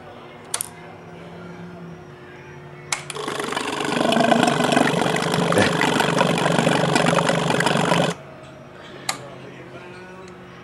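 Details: 2002 Yamaha R6 that sat 4+ years, carb cleaner dripping in carbs: about five seconds of fast even cranking, roughly four beats a second, never fires. Cause suspected, not confirmed.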